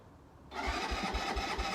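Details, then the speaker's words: Keeway 125cc with Suzuki GN/GS engine, unstarted 18 months, new battery; starter engages, slow chug four to five a second with sputtering, never catches; owner suspects air/choke setting or a dry carb, unsure. "the more I try and start it the more it's spluttering away so I think it is just air related or bit of playing with that choke not been started for 18 months so maybe the carb was dry"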